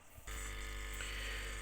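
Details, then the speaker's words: Pure sine wave inverter output through a speaker with a 22 microfarad capacitor in the line cutting most of the 50 cycle sine wave: smooth, steady low hum with only a faint buzz, much quieter than the modified sine inverter; normal healthy output. "we are it's a lot lot quieter because it's cutting out most of the 50 cycle sine wave coming out of this inverter"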